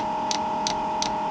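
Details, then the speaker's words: Newly installed Chinese diesel heater in an ice shack, first start with fresh fuel tank and lines: dosing pump ticking about three a second over steady hum while priming a line with no fuel yet. "So I can hear the pump kicking in. It seems like it's trying to prime itself, but"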